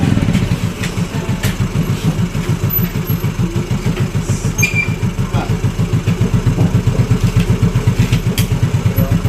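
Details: Yamaha Mio Fino 125 fuel-injected scooter that won't hold idle, before repair: slow, loping single-cylinder idle, uneven pulses barely hanging on; idle too low and stalls.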